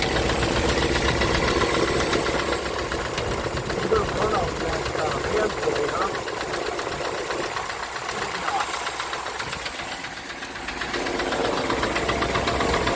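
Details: 1965 Ford Thunderbird after rebuild, engine cold: light fast tick over an otherwise smooth idle, keeping pace with the engine; plug wires and cap confirmed numbered correctly, tick source not yet located.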